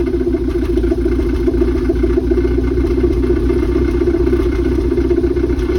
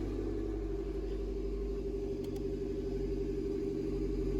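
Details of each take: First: Toyota MR2 after alternator and serpentine belt replacement runs rough with an uneven bubbling rumble, so it was shut off; owner suspects something got fried when it sparked with the battery still connected, and dash and speedometer are dead. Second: Toyota MR2 on a very cold start just after alternator replacement, with the earlier squeal gone. Even, steady petrol idle held slightly high with a smooth low rumble. This is normal cold fast idle.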